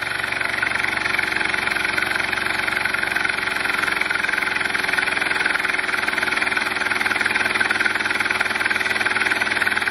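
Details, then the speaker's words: Air compressor converted to an air/steam engine, solenoid valve timed by flywheel magnet and reed switch, running without load: fast even valve puffing and mechanical clatter over a hissy air background; efficient, normal. "so we were at 1300 than when it initially started there isn't a load on this right now but it is it is very efficient with the air"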